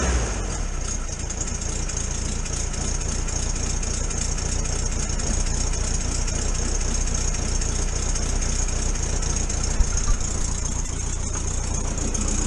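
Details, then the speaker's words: 1973 VW T2 camper, cold after carburettor jets were unblocked and adjusted: catches and settles into a steady low rumble on choke, no misses or stumbles. Normal running on choke; owner suspects a small exhaust leak. "obviously it's running on choke at leave this in here i'll let it warm up a bit"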